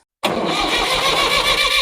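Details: Mahindra diesel tractor after a full service with new engine oil and coolant and new hydraulic, oil and diesel filters. The engine catches instantly from silence and settles straight into a firm, even diesel clatter with no stumble: a clean, healthy start.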